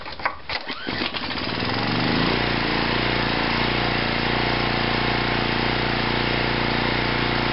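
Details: Craftsman 2500 W generator with 6hp Tecumseh Enduro OHV engine, after new plug and exhaust valve rocker adjustment (was too tight, holding valve open, losing compression): few pulls, catches, settles into steady even drone with no misses or knocks; runs healthy.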